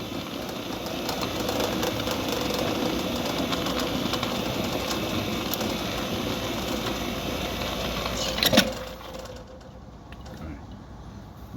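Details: Centurion D5 Evo sliding gate motor, 9 years old, making a strange noise: runs fine one way, but in this direction a steady hum carries faint irregular creaks and ticks before it stops; creaking noise, cause not yet confirmed.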